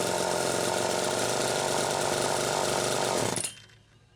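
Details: Small two-stroke chainsaw after a fuel tank mounting repair holds a high, even buzz for about three seconds, then shuts off; it runs clean and healthy, with the muffler cap a little loose.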